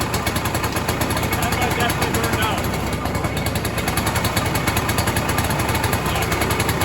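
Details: 1967 Ski-Doo Alpine twin-track snowmobile, two-stroke, sat many years, now on its own fuel, about 75°F: rapid, crackly popping holding a steady, even idle with no misses or surging; running much better.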